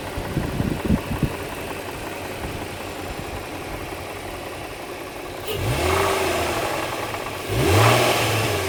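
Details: 2004 Infiniti FX35 engine ticking over with quick, fairly even tapping, then two throttle blips as the note rises; extra engine noise, source unclear.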